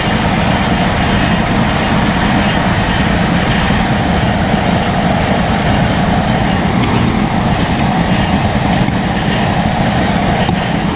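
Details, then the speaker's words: 1977 Lincoln Continental Town Coupe V8, first run after long storage: deep, steady rumble with even firing and no stumble or knock, fan making slight noise; smooth idle, though a fuel leak was spotted. "so smooth like look at the headlights sounds like the Fan's making just a little bit of noise"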